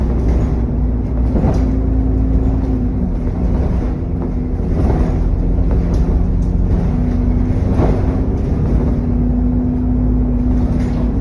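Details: SN61 DDE E210, driving on a dead run: steady turbo whine over heavy rushing cooling fan thrash and wind noise.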